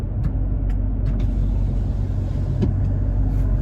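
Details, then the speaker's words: Toyota Tacoma at 30 mph with OEM roof rack deployed, heard in cab: steady low road rumble, no whistle or hum from the rack; normal cabin noise. "you could almost hear a pin drop in here"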